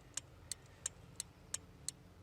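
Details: Car with hazard lights on, test light probing a pin behind the flasher relay during wire testing for a DIY remote starter: crisp, sharp, perfectly even ticks about three per second over a quiet engine hum. This is normal hazard flasher relay ticking.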